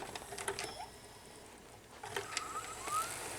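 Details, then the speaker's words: 2006 Sony DVD/VCR combo, case opened: quiet whir, light clicks and short motor hum as the head spins up and the tape loads; normal tape loading, though the DVD tray sounded like it was struggling, possibly a bad belt. "Okay, the head spins up, tape loads."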